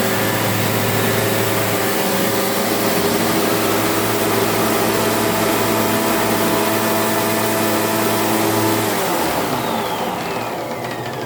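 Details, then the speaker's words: Rattling noise from a one-owner-from-new 2002 SEBO Automatic X1 upright vacuum while running: steady motor drone with a rough rattle, whining down at switch-off; auto height adjust still works. "can you hear that Rattler noise that's the problem we've got"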